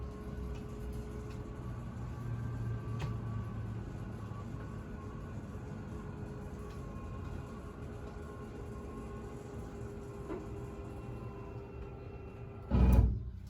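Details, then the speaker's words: Coachmen Catalina Legacy Edition 343BHTS-QQ travel trailer, three off-door-side slide-outs: steady low slide motor hum, then a short sharp thump as the slide seats fully out, the normal full-extension indication, same when retracting. "That sound that you hear is the indication that it is fully out. Same thing on coming in."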